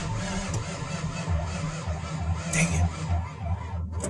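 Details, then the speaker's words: 1997 Ford F350 7.3 Power Stroke diesel, battery charged about 1.5 hours: sluggish, labouring crank with uneven dragging beat, never fires; weak battery. "damn battery's still weak this driving me nuts cuz uh I have a feeling this baby's going to start"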